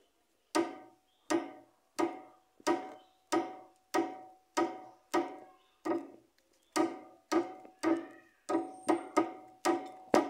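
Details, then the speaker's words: Chevrolet Onix front suspension: steady hollow knocking, about two a second, heard inside when turning the steering, reproduced by moving a worn sway bar link. "E conforme a gente virava a direção e o barulho que fazia e que você ouvia lá dentro do veículo da bieleta era mais ou menos assim"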